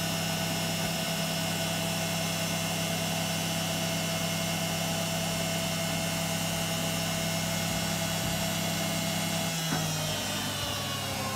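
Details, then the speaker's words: Beko WM5100W washing machine's brushed drive motor, refitted with belt after its rough copper commutator was skimmed on a lathe and finished with emery paper; steady even hum, no scraping or rumble, seems much quieter than before. "so it seems a lot quieter to me what do you think is it worth it"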